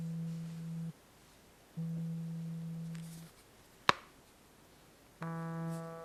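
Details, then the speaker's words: Samsung Galaxy Z Fold2 vibrating while closed; low steady buzz in roughly one-second bursts, rattling louder than a normal vibrate as the two folded halves amplify the vibration motor. "Si vous choisissez d'activer le mode "vibreur", c'est sûr le téléphone portable vibre, mais il doit vibrer silencieusement; au lieu de cela, il y a trop de bruit ici."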